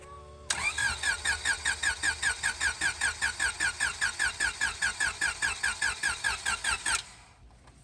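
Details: Flood-damaged Honda Civic hatch on its first start attempt with the battery in. Even starter chug, about 150 per minute for six seconds, and the engine never fires; cranks but won't start (starting fluid is used afterward).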